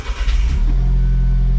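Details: Alfa Romeo 4C starting after a battery replacement and clearing code P0685: a quick crank catches cleanly and settles straight into a steady, even idle with no stumble or knock, sounding healthy.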